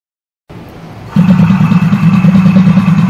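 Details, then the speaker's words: Largest, heaviest DC motor, fitted to a water pump and run under load: brief hum, then a steady, even low drone, faster than the other motors; ammeter reads 8 to 9 A, called low; normal loaded running. "इसको यहां पे हमने इस motor को on कर दिया है और आप देख सकते हैं दूसरे मोटर से इसकी स्पीड भी ज्यादा है"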